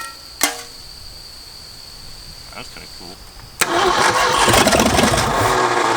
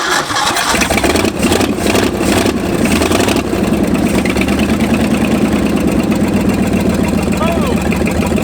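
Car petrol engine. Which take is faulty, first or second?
first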